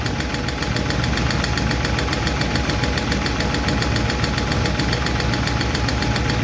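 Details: 1951 Chevy truck engine at steady idle after starting, with a light, fast clickety lifter tick on top; better than before, but number 4 intake and number 2 exhaust are still noisy while number 2 intake seems okay; owner plans to tweak those two.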